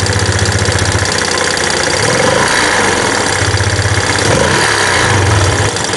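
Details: Yamaha Jupiter Z1 with rough engine noise and top speed only 60-80, dark oil found: loud, rough idle with uneven rattly beat rising and falling slightly, heard louder at the opened engine breather; cause undetermined.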